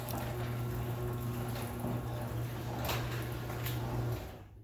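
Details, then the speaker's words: Two-car garage door with torsion springs, after lubrication with silicone spray and lithium grease: steady low opener-motor hum as the door travels smoothly, with no squeaks or rattles; much quieter than before. "Okay, that is so much more quiet than before."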